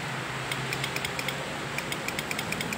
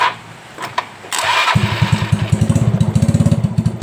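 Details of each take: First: Yamaha Mio Soul that starts on the centre stand but often only clicks on the side stand: battery terminals checked tight and held firmly, yet sharp dry clicks in bursts with no cranking. Owner suspects a poor battery-to-engine ground cable. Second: Yamaha Mio Soul whose electric start only clicked at times on the side stand: with a jumper cable from the battery ground to the engine, the starter cranks briefly and the engine catches into a steady idle. Confirms a weak battery-to-engine ground.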